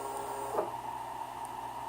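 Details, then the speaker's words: Motherboard bench test with the Z axis stepper jogged in both directions to check the driver: short, clean whirs with a steady tone, so the motor and driver behave normally. "Okay, and the Z axis, I always test both directions, make sure that driver is good, and then X home, and to stop it you need to"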